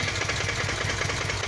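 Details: Used Kawasaki VN 800 Vulcan, bought a week earlier: uneven lumpy V-twin idle with a repeating light tapping/knock from the lower engine, steady with idle; a mechanic suggested something slightly loose, noise less noticeable at higher rpm; cause unclear.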